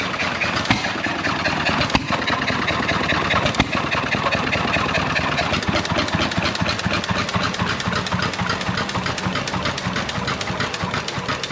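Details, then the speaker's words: John Deere 1.5 hp hit-and-miss single-cylinder gas engine after running over an hour, freshly oiled, just before shutdown: steady even chugging with regular firing pops, no knocks; normal running. "well the old John Deere's been sitting there running for over an hour now we're going to shut it"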